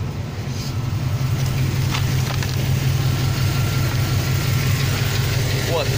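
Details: Chevrolet 350 TBI V8 at cold idle: low steady rumble with light uneven tick, only at cold idle and on throttle lift-off; owner suspects collapsed valve lifters and plans to add ATF (Dexron 2) to the oil.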